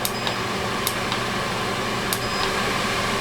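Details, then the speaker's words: New WEN 3410 shop air filtration system switched on: constant airy whoosh with steady motor hum and odd faint click, fan running smoothly at full speed, normal. "And I hear it kicking on, so that's good."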